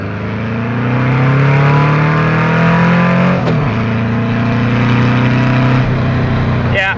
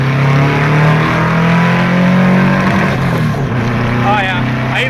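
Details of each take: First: Engine on 44 IDF carburettors (118 main jets, 185 air correctors) pulls hard but goes flat around 4,500–5,000 rpm. It is running lean, so the main jets will be increased. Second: 2-litre engine on 44 IDF carbs with 1.25 mm (125) main jets and 32 mm venturis climbs smoothly and strongly to the rev limiter, then backs off cleanly. It sounds well jetted; 125 mains are confirmed as the right jets.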